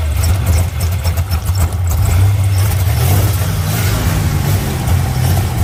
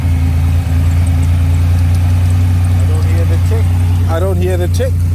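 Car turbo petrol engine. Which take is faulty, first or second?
first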